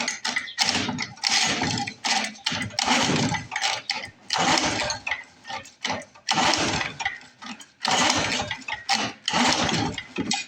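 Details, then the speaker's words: Lawn-Boy Mag 21 mower abandoned about 15 years: spark confirmed and carb cleaner added, yet repeated rasping recoil pulls, about one every 1.5 seconds, give no pop; recoil gear skipping. Cranks but won't start; owner suspects insufficient compression. "I think we may not have enough compression to run. Oh, we have spark. We have fuel."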